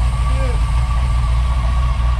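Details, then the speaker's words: Volkswagen Beetle with an LS swap, first start after installing turbo-style mufflers, engine not yet warm: deep, even idle with steady low rumble, quiet, no misses, knocks or ticks; normal idle. "sounds so good it's quiet like oh my god"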